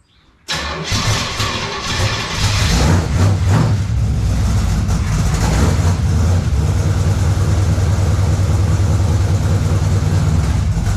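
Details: Car mostly factory apart from some engine components, on new headers and new exhaust: starter catches quickly into a deep, even exhaust rumble settling to a steady idle; normal start and idle.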